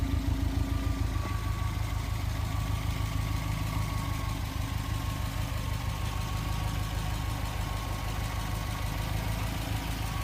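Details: 2008 Subaru STI turbo at idle after an engine rebuild and new turbo following a spun bearing: even, steady idle with a smooth low hum and no knocks or rattles. Healthy.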